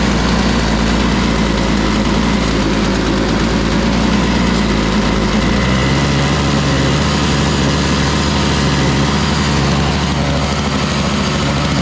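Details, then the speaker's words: Toro Powerlite single-stage snow blower, model 381182, 98cc two-stroke, just started cold with no primer bulb yet: uneven running, beat lurching and settling; seems to need warm-up, not running too badly. "Looks to me like it needs some warm-up time, but it wasn't actually running too bad."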